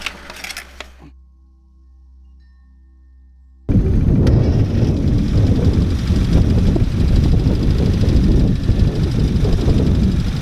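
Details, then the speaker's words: Classic Mini that ran hesitantly, after a quick tune, with a possibly low battery: after long cranking the engine catches and settles into an even, steady run with no misses or knocks, running much better. "The car has now gone home and it's running much better when it starts."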